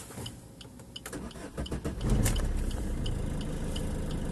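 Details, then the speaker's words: Maruti Suzuki Swift diesel with a no-start caused by a faulty relay (it can fail from a short circuit), now starting after the relay was replaced: short crank, then it catches and settles into a steady, even idle with regular clatter. "अब आप देख सकते हैं ये गाड़ी start हो गई हमारी। जो प्रॉब्लम थी वो रिले में ही प्रॉब्लम थी।"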